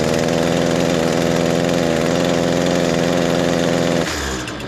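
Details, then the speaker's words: Echo SRM-225 trimmer, cold start on choke: starts fine with heavy exhaust smoke but sags to a strained low buzz and bogs instead of revving when the trigger is pressed. "and that's all he's getting it starts up fine though just barging down"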